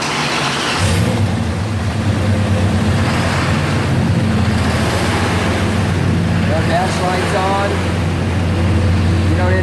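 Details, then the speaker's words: Car that had a crank/no-start fault, after engine computer replacement and programming: settles into a steady low hum with smooth revs, no knocks, misses or hunting. It sounds good; fixed. "a long time sounds good we've got a fix here"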